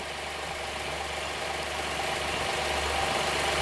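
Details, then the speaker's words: Honda Pilot III (2016) J30A9 V6, warm idle after timing belt tensioner replacement (bolts torqued 12 Nm): quiet, even idle with steady hum, no knock or tick, engine doesn't shake; cold-start knock gone, normal idle. "Прямо всё очень чётко. >> И он, смотри, не прыгает."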